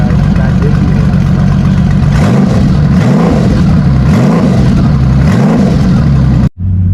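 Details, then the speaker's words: Motorcycle with 31,000 miles in 25 years: a deep, even idle with smooth rev blips that rise and settle cleanly, with no knocks or ticks; it runs strong with no engine noise. Normal idle and revving. "You could probably hear her out there running. I'm really happy with it. I'm pleased with it. I think it's going to be a great bike. It runs strong, no engine noise whatsoever."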